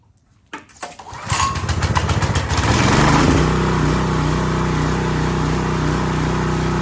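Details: New Husqvarna pressure washer small engine, restart after initial run: after a couple of sharp pulls it catches at once and settles into a steady, even running beat; healthy start and run.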